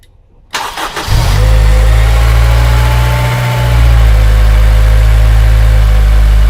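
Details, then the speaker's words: Honda Civic EP3 Type R engine started and idling with the accessory drive belt removed during inspection, to compare noise without the belt; catches after short crank, smooth, deep, even idle with no ticking or whine — normal idle without belt. "what I'm going to start this engine so you can hear the difference in the noise with the belt remove"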